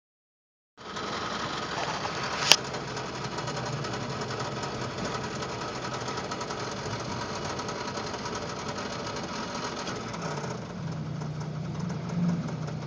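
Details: 1995 Toyota 4Runner 3VZE engine while driving; steady fast sharp metallic knocking under the engine note throughout; rod bearing suspected, unconfirmed.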